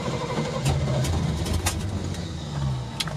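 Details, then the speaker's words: 1974 Corvette V8, first start after engine refresh and reinstall, oil and coolant filled; catches and settles into a loud, slightly lumpy idle with sharp pops; owner suspected an exhaust leak and earlier too-advanced timing; normal start and idle. "definitely sounded better oh we're alive [Music] i'm going to cut it off and check for leaks but whoa it runs"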